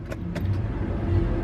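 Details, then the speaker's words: LS1-swapped Nissan 240SX (S14) with a newly installed fuel pump assembly, key-on prime: a smooth low hum builds and holds steady for over a second without whine or stutter; healthy, normal fuel pump prime. "yeah that sounds hethy that Prime sounded like a good Prime that was a prime prime"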